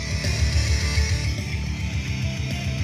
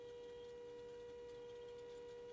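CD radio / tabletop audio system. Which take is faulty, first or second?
second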